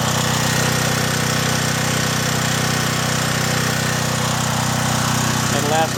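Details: John Deere generator with Briggs and Stratton engine, after carburetor cleaning and fuel line replacement following years of sitting: steady, even drone at constant speed with regular firing pulses, no misses or knocks, running unloaded during 220 V output check.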